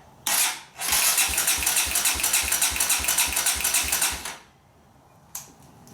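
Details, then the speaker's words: 2017 Kawasaki KLX140 dirt bike, after reinstalling leaking clutch-side engine cover, cranked on battery with spark plug grounded to pump oil through; steady starter whir with even compression thumps, no firing, normal cranking. "so I've got the spark plug grounded you know it's off the spark plug gonna got the battery hooked up I'm gonna give it a couple of cranks just let the oil pump through and then we'll fire it up hopefully it'll be high and dry"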